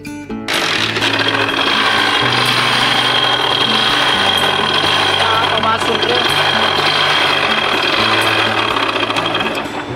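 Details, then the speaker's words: Hero Splendor Plus motorcycle, single cylinder, idling before engine repair, also emitting smoke: harsh uneven clatter over the exhaust; internal engine knock, cause not yet known. "इसमें हमें start करके दिखाते हैं इसका engine आवाज कर रहा है।"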